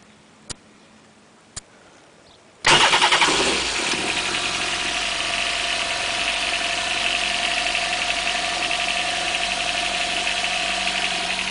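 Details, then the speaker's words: Four-stroke jet ski: a couple of light clicks, then it catches instantly and settles into an even, steady idle, quieter than the two-stroke; healthy quick start. "Starts up as easy as that. And this one's quieter too."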